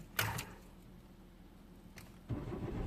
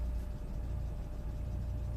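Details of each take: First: 2004 Citroen C4 1.4 petrol, KFU engine, codes P0201–P0204 and P0443 open circuit: a click, then the engine catches and runs unevenly for seconds before cutting out; the relay contacts are suspected. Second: 2004 Citroen C4 1.4 petrol (KFU), earlier a non-runner with open-circuit codes P0201–P0204 and P0443, after the wiring repair and relay relocation: quiet, smooth, steady idle with no misses or knocks; battery a little weak. Normal idle.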